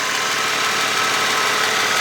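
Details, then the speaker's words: Ford Mustang V6 (2000s) at idle after oil change with Marvel Mystery Oil added: fast light ticking keeping pace with engine over steady idle; suspected exhaust leak (loose pipe missing hose clamp) rather than lifter, not confirmed. "Hey, it looks like we've developed a exhaust leak and that might be the cause of the ticking rather than it being a lifter."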